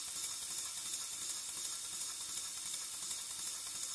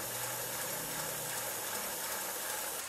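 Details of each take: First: Pennsylvania A3 switcher model steam locomotive running on air after re-setting valve timing at both ends of stroke: hissy, fairly even chuff about 167 a minute, no lame beat, running much more square though not perfect; one valve suspected slightly uneven. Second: Pennsylvania A3 switcher model steam locomotive first run on compressed air at about 13–14 PSI: hissy, slow uneven chuffs, binding that tightens and loosens over time, using excessive air; cause later thought to be mostly overtight piston rod gland packing nuts.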